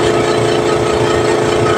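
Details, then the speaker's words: Air compressor after its pressure switch spring was tightened to raise cut-out from about 40 to 90 psi, running and charging the tank from below 90 psi: loud steady hum, constant mid tone, even pulse, no knocking; normal compressor run. "Yan, magkakarga yan. Ayan, nagkakarga siya. Tingnan natin hanggang saan siya."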